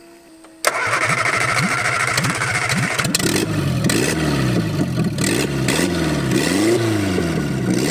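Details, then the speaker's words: MG seized and sitting 42 years, engine swapped in a cornfield, cooling system filled, coil and fuel pump newly wired: quick uneven cranking, then it catches cleanly and revs rise and fall smoothly with no knocks; starts and runs healthy. "Ta-da! A fully operational automobile."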